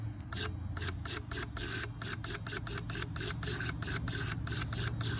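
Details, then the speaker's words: Stuck injector from a 6.1 Hemi unused for 10 years, on a bench fuel rail at about 40 psi, unstuck by tapping its side with a screwdriver: crisp, even hissing spray bursts about once a second; injector now spraying normally. "squirting so i'm gonna let it flush out a little bit"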